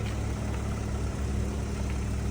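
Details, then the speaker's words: Ford Fusion, 48,955 miles, started on its own without a jump: low, even, quiet idle hum with steady beat and no ticks, knocks or misses; normal idle. "And it is already running. Backing it up and forward. Very quiet Ford on this one."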